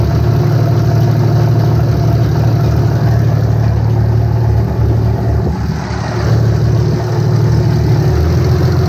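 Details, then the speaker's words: 5.9 Cummins diesel in a truck with a Smeding S472 turbo and EFI Live tuning, first start after installing FLUX 100% injectors, currently on a poor tune: deep, steady clatter with an even low rumble, no stumbles; starts and idles normally. "sound good thoughts sounds like a motor sounds like an engine good deal yes it does probably because it has a horrid tune on it right now"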